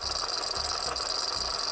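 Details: Mazda 5 at idle with a steady, fast, tinny rattle over a hissy running sound: failing serpentine belt tensioner.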